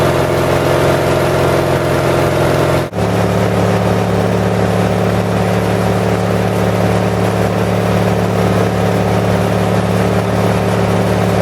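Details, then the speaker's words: 1978 Lincoln Lincwelder 225 welder-generator, cold start after a governor adjustment, carburetor still not fully adjusted: steady low drone, slight unevenness, brief dip then settles; runs fine, a bit lumpy cold. "so as you can see I know it's going to focus but does a pretty good job it's running a little bit cold it's a little bit lumpy"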